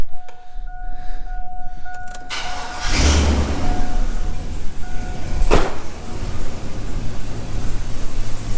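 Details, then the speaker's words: 2500 HD that hadn't run for a year: chime, cranking and catching, then a rough, uneven idle with a massive misfire from a dead cylinder; exhaust manifold donut gasket also leaking. "and it's got a massive misfire so let uh let me show you"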